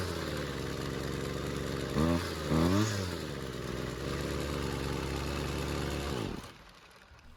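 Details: High-runtime, previously worked-on Husqvarna two-stroke trimmer that wouldn't stay running, not a cold start, after L screw turned a quarter turn counterclockwise for more fuel; buzzes steadily, blips up, settles and runs cleanly before shutoff; idle screw still needs attention.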